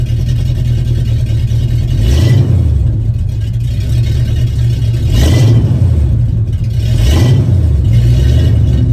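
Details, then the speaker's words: 1974 Ford F-250 V8 after fitting two new mufflers, mocked up and not fully bolted: deep rumble with three clean throttle blips rising and falling smoothly; good tone but not overbearing for DMV — healthy exhaust note. "Yeah, that's perfect. That's the sound I was looking for. It's still got a good sound to it. Still got a nice tone, but it's not so overbearing where I'm not going to be able to get it past with the DMV."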